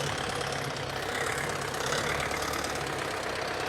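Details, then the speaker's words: YuMZ-6 diesel tractor ploughing wet spring soil with a two-furrow PLN-2-35 plough. Even diesel clatter with a steady rhythm; the gearbox neither whines nor crunches, and the rear axle is also quiet. "ну як чуєте коробка не виє не хрустить сам міст теж не"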